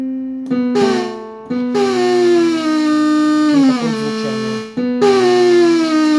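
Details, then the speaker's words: Casio Privia PX-750 digital piano on concert piano voice: notes carry an unwanted buzzing, rattling background overtone sliding in pitch; it also fails to boot to its default voice; attributed to a software-level fault requiring main board repair. "Как видим, вот такой вот сопровождающий звук, это фон."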